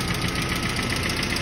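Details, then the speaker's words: ZMZ 406 engine warm at about 75–80 °C, idle about 900 rpm, oil pressure low: fast light ticking of hydraulic lifters, one stuck and several pressing down; replacing all 16 lifters suggested, head possibly needed for oil pressure. "То есть, ну, у тебя цокает очень много. Вот что их менять, оставлять. Ну вот они, вот эти вот петухи и цокают вот так вот."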